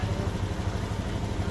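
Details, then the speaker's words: Honda Beat fuel-injected scooter idling with fuel pressure only 20 psi versus normal 40 psi; fuel filter very dirty, weak clogged pump suspected: low putter at idle with faintly uneven, lumpy beat, misfiring. Low fuel pressure before pump replacement. "so ang normal operating ano kasi nito pressure is dapat p mga Honda nasa 40 psi yan an and then pag ini-start natin siya yan so naka na siya so hindi talaga siya nataas so hanggang 20 lang yan hanggang 20 psi"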